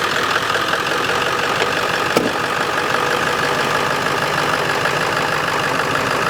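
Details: 2001 Ford F-350 dually 7.3 L diesel after replacing the high-pressure oil line feeding the injectors: steady, even idle with no misses, stumbles, knocks or oil leaking; normal idle.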